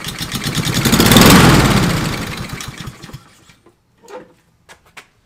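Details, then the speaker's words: Fire-damaged Husqvarna LC 221RH mower, Honda GCV 160 engine, with a squirt of fuel in the cylinder instead of a compression test: it catches and runs rough about two seconds before dying. The engine fires on primer fuel. "i'm just going to go straight to the fuel give her a squirt put her plug back in and we'll give her a crank cc fires up i'm going she's fired"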